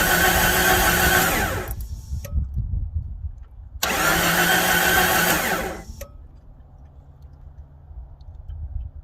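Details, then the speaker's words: 1993 Jeep Cherokee with good fuel pressure (about 35 psi): two cranking bursts of about two seconds each, starter turning steadily but engine never catches; suspected bad connection or ignition problem. "Yeah, that's not working out. So either bad connection, or maybe we have an issue with the ignition."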